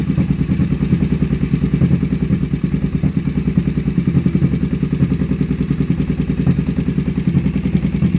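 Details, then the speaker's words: Kawasaki Vulcan 500 first start after carburetor kit: uneven idle with a light clattery tick about three times a second over the exhaust beat; owner suspects top end noise, not confirmed. "sounds like we might have terrible top end noise [Music] [Music] it makes noise do"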